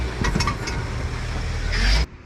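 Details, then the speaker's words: Chevrolet Traverse/GMC Acadia clunking over bumps: several dull knocks over road rumble while driving, from a blown-out right front lower control arm bushing; repaired by replacing bushing with bracket, plus left ball joint. "That sound that you're hearing is more than likely something in the front suspension. In this case, it's this bushing right here. It's all blown out."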